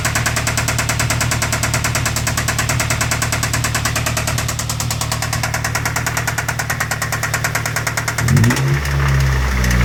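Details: 2007 Ford Focus 2.0L petrol idling: deep steady rod knock that sharpens on three brief throttle blips; engine to be swapped for a larger motor.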